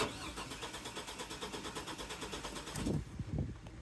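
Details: 2002 GMC Sonoma with the 4.3 Vortec, parked since 2017, after a new fuel pump following varnished fuel: the starter cranks evenly at about seven beats a second with a brief stumble but never catches; it starts on starting fluid and has fuel pressure, so a plugged spider injector is suspected.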